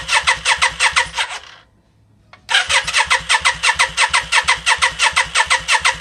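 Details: 1992 Yamaha Virago XV535 V-twin just after engine rebuild, fuel primed and float bowl full: starter cranks in even pulses, pauses, cranks again, never catches; no spark on either plug, suspected broken wire or bad connection.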